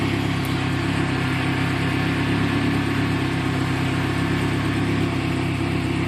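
Engine idles with an uneven, loose ticking and fluttering layered over the low drone; something is off, but the source isn't clear.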